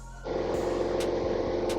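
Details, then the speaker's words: Car with P0420 catalytic converter code, running on 15 gallons gas plus 2 gallons lacquer thinner to clean the converter, service engine light on, A/C off: steady even drone held at 2,500 RPM, no stumbles; smooth, no misfire. "2,500 RPM. Doesn't seem like it's missing a beat."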